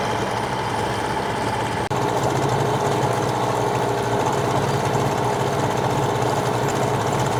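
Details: New Hangkai 18 hp two-stroke outboard running in a trash can during 10-minute break-in, no load: fast, buzzy idle holds an even pace, no stumbling or rattles; normal healthy idle.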